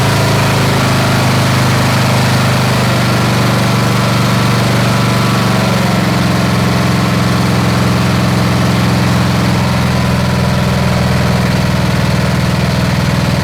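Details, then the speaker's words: Snapper SR-Series with 10HP Briggs & Stratton stored 10 years, aftermarket carburetor tuned, fresh fuel, air cleaner fitted: steady, even single-cylinder thrum at constant speed, no hunting or surging, warming up. Normal running. "All right, so she's running good. All right, she's starting to wake up. The air cleaner makes a difference."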